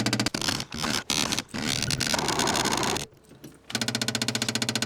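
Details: 1967 Opel Rekord 2DHT Coupe, unused for years, tank and fuel lines likely dry: steady starter churn about four turns a second, never catching; suspected fuel starvation, starter also intermittently fails.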